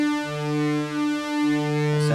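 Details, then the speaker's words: Yamaha CS-40M synth after repairing a waveform switching fault: a steady, clean sustained note with stable overtones, now a proper triangle wave instead of the chopped waveform caused by the output switch. "we've got a proper triangle wave off it now and not that chopped off waveform that we're getting before"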